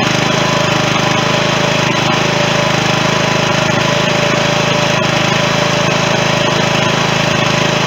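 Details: 16.5 hp Briggs & Stratton engine transplanted into a John Deere mower in place of its 15 hp Kohler, running on temporary battery wiring; steady, even drone with no misses, knocks or surging. It runs great, though the magneto/charging wiring is still unfinished.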